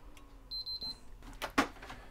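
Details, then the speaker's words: Backwards-compatible PS3 CECHC03 bought faulty: on power-up green light, three quick high beeps then a click as it powers off — yellow light of death. "green and as he says three beeps i think it's a yellow lighter death i can't see whether that goes quickly yellow or not"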